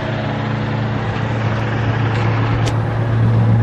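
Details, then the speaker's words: Roaming Home RV motorhome dormant over 20 years, rebuilt 1-barrel Rochester carb, fresh gas via electric fuel pump, warming up outdoors: steady even low idle, no misses, knocks or rattles, no smoke. "hear what it sounds like out here nice [Music] no smoke nothing crazy that is awesome"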